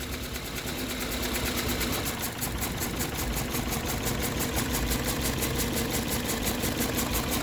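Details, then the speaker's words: 2007 Toyota Corolla CE idling in gear: lumpy, pulsing beat of about three pulses a second; shows a cylinder 3 misfire code, unchanged after swapping parts, and the car shakes in reverse. "can you hear that's the way it sounds um we so it's it's showing as a misfire in the cylinder 3"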